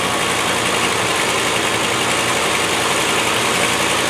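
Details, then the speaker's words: Land Rover 110 V8 with a big carburettor, started after refilling the cooling system, exhaust Y-pipe not fitted so running on an open pipe: steady, even idle with a loud, rough-edged exhaust note; engine sounds healthy and smooth. "It sure is a nice engine."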